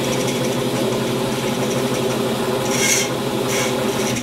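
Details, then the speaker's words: Ridgid R474 14-inch band saw with 1 HP motor and new blade: steady motor hum with scratchy, uneven rattle and scrapes as a couple of blade teeth catch the flexible plastic guard sleeve at the back. "you can hear it rattling back there you can hear that blade just a couple teeth catching it"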